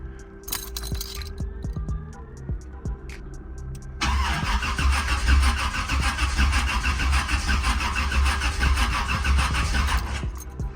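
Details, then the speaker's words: Long, labored, slow uneven crank with no catch on a car just fitted with a 700R4 transmission and a new rear main seal, unstarted for about a month; battery dropping to about 10 volts, too weak to crank it. "that battery low y'all see as I was turning it it was at like um it was going to like 10 I don't know it was turning red it was going to like 10 [Laughter] volts ain't enough juice to start up cranking it over"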